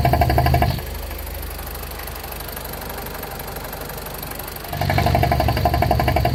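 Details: BMW E46 with N42B20A four-cylinder at idle: steady ticking knock about four per second over the engine note; owner unsure whether problem or normal, cause unconfirmed.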